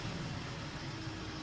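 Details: Hyundai H-100/Grand Starex diesel, Euro 4 engine, 154,000 mileage: it had thick black smoke on acceleration. After replacing two fuel injectors and a turbo cleaning, it revs up smooth and even with a steady drone and no knocks or misses.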